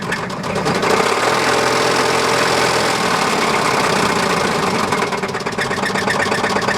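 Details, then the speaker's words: 1999 Chevrolet Astro revving: deep metallic knocking following each rev, sharper as engine picks up; rod knock from worn connecting rod bearing, metal glitter found in oil on dipstick. "that's the most beautiful rod dock i've heard what is that"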